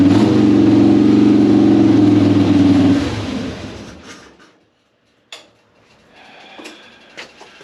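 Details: 2005 Harley-Davidson Softail Deluxe after wire-brushing both battery cable contacts to cure slow cranking and hard starting, choke pulled: steady, even V-twin drone for about three seconds, then winds down and stops. Normal running; not a starter fault.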